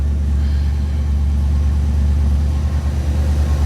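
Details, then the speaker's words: 1956 Ford Thunderbird, first crank in neutral on a spare battery, after 10–15 seconds cranking: fires right up into a deep steady rumble with no knocks or misses; normal running. "Oh, she cranks. That's promising. Wow. Fired right up."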